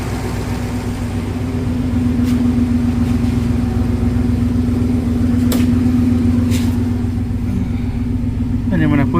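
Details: 1971 Rover 3500S (North American P6) V8 at idle after installing a Lucas 11AC alternator replacing one with a seized pulley bearing: steady even rumble, no squeal from alternator pulley; belt flaps slightly, charging at idle; normal idle.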